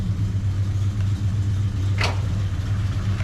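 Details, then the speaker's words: Foxbody Mustang V8 on the factory computer, just started: deep even burble at idle with no misses; slight lifter clacking judged not too noisy; normal idle. "So, not bad, right? The car idles really nice."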